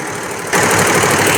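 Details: Unix embroidery machine after a new shuttle was fitted and timed at 16, threaded with bobbin in: kicks in with fast, even clatter, no snags; runs normally now, whereas before the thread broke immediately.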